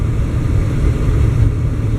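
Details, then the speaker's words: 305 V8 after distributor hold-down stud repair, accelerating: deep even roar pulling steadily under load, no rattle or ping; pulls pretty good, no pinging. "for a 305 and i get no pinging"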